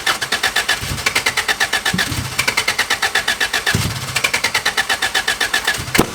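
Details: 86 with 3S-GE Beams engine on MS3X ECU, after coil pack and TPS rewiring and plugs dried from flooding: starter churns at a steady fast beat in long bursts with odd weak thumps, never firing despite spark and fuel; owner suspects the tune.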